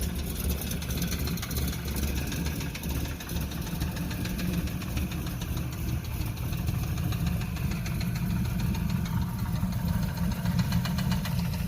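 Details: LS1 V8 in a Chevrolet Camaro Z28 with Comp Cams and SLP parts, idling with a deep, steady bottom-end knock from a spun rod bearing.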